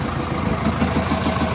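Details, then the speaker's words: 2010 Subaru Outback 2.0 diesel (147 hp) after rear crankshaft seal and clutch work, first start: rough uneven clatter at idle from crankshaft end play, dual-mass flywheel moving, clutch rustling; engine considered dead. "Такой звук. Это наглядный пример тому, что мотор умер."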